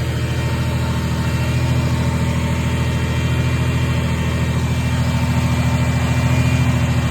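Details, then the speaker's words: Steady fast idle with an even pulse around three per second and no misfire on a supercharged 1990 Ford Thunderbird Super Coupe after fixing swapped plug wires 5 and 6; idle sits too high, vacuum leak suspected, to be checked with propane. "Now it runs good, but it idles up high."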